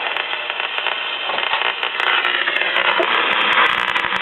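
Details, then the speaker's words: 1956 cardboard-cased tube AM radio, likely an RCA Institutes kit, with patched speaker: crackling, hissy static with sharp ticks over reception from room-light interference. "Get rid of some of that interference."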